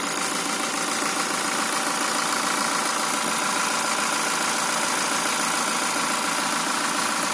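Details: Toyota Fortuner VRZ engine at idle; quick repetitive duk-duk tapping about three or four per second over a hissy idle; knocking, cause not identified.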